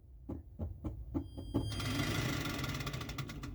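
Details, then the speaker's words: MG Midget EV conversion, brushed motor, in neutral with parking brake on, throttle touched: several clicks, then a brief hum at start and a steady whirr with high whine and brush hiss; motor running normally. "see what happens if you hear that noise that's power I can hear the motor spinning those are the brushes there's an interesting hum at the start"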